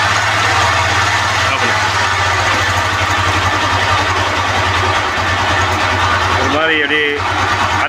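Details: 220 cc motorcycle that had been flooded with water, noise worsening despite oil changes: steady idle with rough, rasping grind under the beat; worn timing chain guides, bearings suspected rusted, engine to be rebuilt.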